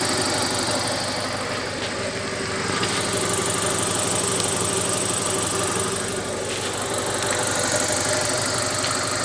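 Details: Carisma GDI engine idling: sharp metallic clatter about three times a second over the running note, a persistent knock; owner recommends switching to 10W-40 oil plus Ceramizer.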